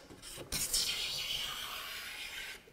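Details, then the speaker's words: Paul Sellers planing a flat board smooth with a No. 4 hand plane, its sole oiled to stop friction skidding; one steady, even hiss producing a continuous shaving end to end, no stutter or chatter. "oh so nice I feel so good got my exercise feel pretty good and that was a continuous shaving from one end to the other"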